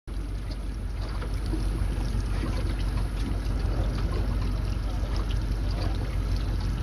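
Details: Mercury motor shaking: low, uneven chugging idle with a loping beat around two per second; rough idle.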